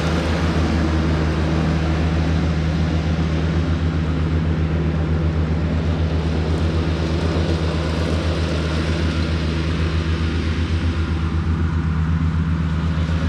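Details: Cushman front-deck diesel mower, bought as scrap with a supposedly bad hydraulic pump, tires freshly aired up, mowing grass: deep, steady diesel drone with an even low throb holding pace under mowing load, no knocks or misses; normal running under load, mows nice.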